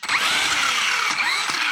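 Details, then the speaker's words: Hosim X08 brushless 1/10 RC monster truck: motor whine sweeps up and down, then cuts sharply when throttle is reapplied while coasting, as the ESC locks onto the brake and the truck jerks. "see when it's coasting and I go to give it throttle again it locks onto the brake and then it causes an issue"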